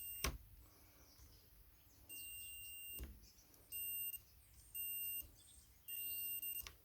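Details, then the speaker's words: Continuity tester on a corroded ignition switch from a 1975 Honda XL100, after stripping and cleaning the contacts: short steady high buzz bursts, four in a row of about half a second each. The cleaned switch now conducts. "it does work but i think i'll just throw that in the box and if i haven't got another one that one would have to do but it's actually doing what it's supposed to do now"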